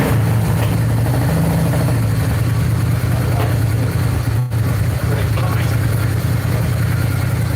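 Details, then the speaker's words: 1995 Honda Shadow VLX 600 V-twin after carburetor clean with new rebuild kits, warming up before an oil change: deep, even lumpy idle with steady firing and no misses or knocks; running cleanly and sounding really good. "And then that sounds really good. Sounds real good."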